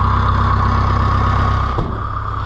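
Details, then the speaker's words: Oliver 1450 (Fiat) diesel tractor, first start after repairs and first run with a new exhaust pipe, good battery, easy start; smooth, even diesel idle with steady beat, no knocks or misses, before winding down; normal idle. "this is also the first time out with this new exhaust pipe to hear it run but that is awesome that made Freddy perfect"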